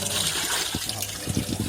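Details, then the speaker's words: Samsung coin-operated washing machine: on pressing Power, water flows into the fabric-softener compartment before any cycle is started and keeps flowing after water-level adjustment; trickling and splashing heard. Dual inlet solenoid valve, softener-side solenoid stuck open. "เห็นไหมฮะเมื่อกดPowerนะครับน้ำไหลเลยนะครับทั้งๆที่ยังไม่ได้สั่งงานนะครับ"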